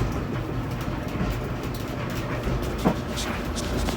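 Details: Kenmore dryer after a DIY fix of an F01 error at the control board: even low rumble of the turning drum with a few soft knocks from the load; runs smoothly, normal.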